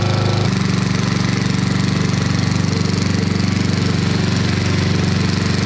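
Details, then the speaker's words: 1990s Snapper riding mower, Briggs & Stratton flathead single-cylinder, sat for years with no oil change in forever, brake on: steady thump about 158 beats a minute, even idle, no hunting or misses; normal idle. "that's the idle that's not bad"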